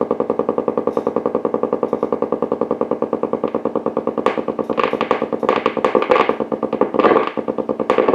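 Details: Blaupunkt Florenz shortwave/AM/FM radio, probably 1960s, with broken dial strings; steady low putt-putt pulsing, about ten beats a second, through the speaker instead of audio, motorboating. Owner suspects a capacitor or bad connection; not confirmed.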